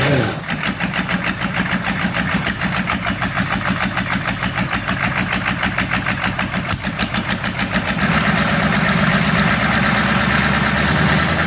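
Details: 6.5 engine at idle: uneven loping idle with pulsing beat near three per second and irregular hits, rough idle, cause not evident.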